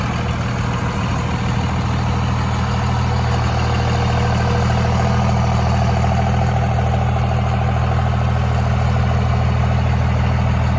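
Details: Steady, even diesel clatter with deep regular rumble, no knocks or misses from a 2002 Dodge Ram 2500 5.9 Cummins 4x4, 6-speed manual, 102k miles; healthy normal idle.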